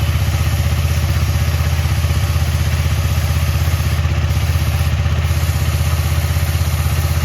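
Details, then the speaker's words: KTM Duke 250 on paddock stand, engine running, rear wheel spinning after chain cleaned with Motul chain clean and WD-40 and lubed with Motul chain lube: steady even whir, no dry rasp or clatter; chain noise gone. "इधर देख सकते हो एकदम चकाचक है एकदम पूरा, कोई नॉइज नहीं आ रहा है, आप लोग देख लो।"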